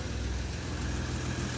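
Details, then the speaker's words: 1960 DKW three-cylinder two-stroke, idling warm: deep smooth even idle, no tapping or misses, purring; slight smoke, owner suspects valves self-cleaned, compression expected around 120. "That is really nice. Oh yeah. Listen to that baby purr."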